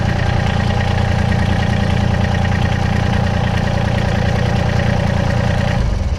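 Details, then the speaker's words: Massey Ferguson GC1723 sub-compact diesel tractor at its 250-hour service, started just after a fuel filter change with fuel back on and key-on priming: loud, steady diesel idle chug, even with no misses or knocks; running normally. "Let that, leave the key on, let it do that right there, and fire it up."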